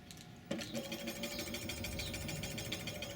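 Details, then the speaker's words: Qiewa Q1 Hummer e-bike, wheel spun under motor power while adjusting the brake caliper: steady motor whine with a light, scratchy swish each revolution; brake pad rubbing, cleared by threading the caliper adjuster back in. "so in this case I hear my brake pad rubbing a little bit"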